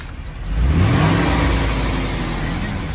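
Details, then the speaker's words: Brand-new 2019 Isuzu quad cab chassis toy hauler, 1,942 actual miles, stored inside since new: the engine climbs smoothly from idle to a firm rev and settles into an even, steady drone with no knocks or rattles. It sounds good and healthy. "Sounds good."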